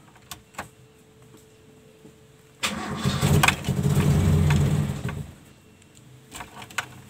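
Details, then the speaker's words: Toyota Kijang after repairing emission control module with resoldered components: engine fires and revs about two seconds, then dies as soon as throttle is released, cannot idle; module likely still faulty. "di sini mobil masih belum bisa stasioner ya nah begitu kita lepas gas mobil langsung mati nah kemungkinan untuk modulnya masih ada masalah ya karena mobil belum bisa stasioner"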